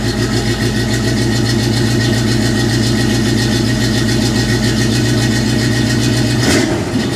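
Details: 1984 Chevy K20 V8 after swapping cheap fiberglass-packed Dynomax turbo mufflers for new Flowmaster mufflers, clamps torqued to 45–60 ft-lb: a deep, steady, even burble with low rumble, no ticks, misses or rattles; healthy idle and exhaust, deeper than before.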